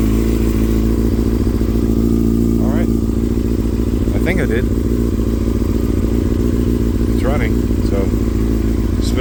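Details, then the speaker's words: Yamaha R6 idling after maintenance, a new chain and flushing: a steady, even idle with a smooth low thrum and no knocks or misses; the engine runs cleanly. "So I'm going to start it up to make sure I did it right and that it's good to go. And hopefully I put everything back together properly."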